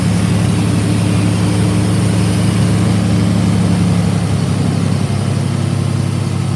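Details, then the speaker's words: 1968 Chevrolet C10, 77,000 miles, idling with exhaust pipe cut off right after manifold: deep, loud, unmuffled burbling idle with even beat; loud only from missing exhaust, runs great. "I can crank it right now, and she's loud as sin. And the reason why she's loud is because the exhaust pipe ends right here. I cut it."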